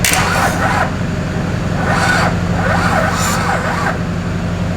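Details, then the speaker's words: Wrecked Duramax diesel swapped into a K20 truck, first start attempt: slow, labored cranking about four compressions a second that never catches; not enough battery power, double jump-start planned. "oh that's right you ain't got enough juice the attention is building just like the pressure he's building we're gonna need a lot more juice boys we need more juice"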